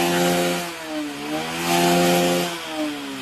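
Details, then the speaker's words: Honda Beat carbureted scooter after repairing its starter fault: clean, steady engine note rising and falling smoothly under hard throttle blips, no misfire or rattle; the earlier stumbling is gone, and good-quality carburetor internals are advised. "Tidak berebut mas bro. Tadi sumber masalahnya waktu awal itu berebut kan. Ini saya dekatkan ya. Nah, sekarang saya tes dengan gas betot tinggi."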